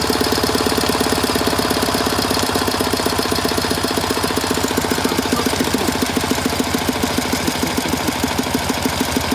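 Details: 1967 K750 motorcycle on 92-octane petrol, valve clearances previously checked within tolerance but camshaft bushings worn: a fast train of dull thuds from the air filter area as revs rise. Dull knocking, cause unclear.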